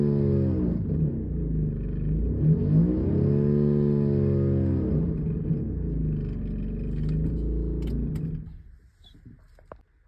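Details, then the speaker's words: 2019 Honda Odyssey revving: deep, raspy blatting drone swelling with revs, sounding like a major exhaust leak or rattle, actually caused by a failing high pressure fuel pump, which was replaced and fixed the noise. "we got we thought it was maybe exhaust or something rattling but what we ended up finding is it was the high pressure fuel pump"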